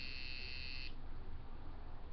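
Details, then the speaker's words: Coil tattoo machine after a basic repair, running at 6.5 volts: after a short beep, a steady, low, even buzz with a nice blur and no stutter; it would not run at 5.5 volts. Normal running. "Let's see how this sounds. That sounds really good. It's got a nice blur on it. It sounds really good."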